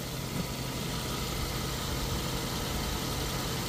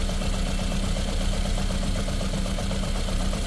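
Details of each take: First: Ford Figo petrol/CNG, after cylinder head valve work to cure a misfire and bad vibration, idles smoothly and evenly with no hunting, stumbling or misfire; a bottle on the engine stays steady: normal smooth idle. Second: Ford Figo petrol/CNG engine idling unevenly with a lumpy, irregular beat and very bad vibration inside the car: misfire, cylinder not yet identified.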